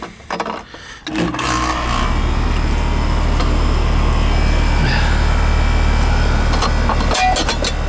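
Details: 1.5-ton AC unit, relatively new, restarted after icing over, washable filter fitted: kicks on after a second then steady even hum, no rattles or squeal; runs normally, charge fine, icing caused by filter.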